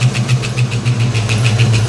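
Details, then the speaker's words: 1989 Mustang LX 5.0 convertible, first start after about three years, new fuel injectors, warming while watching thermostat: fast even ticking about eight per second over steady V8 idle; tapping noise, cause unknown. "This car is running. I'm trying to figure out what that noise is."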